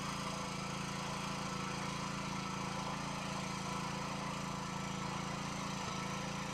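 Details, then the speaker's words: Kawasaki 9 hp small engine after a failed spark plug was found and carburetor gaskets were redone: crisp, even firing at steady fast idle, no misses; starts, holds idle and accelerates, running normally. "C'est le top, il fonctionne. Il tient le ralenti, il accélère, il démarre"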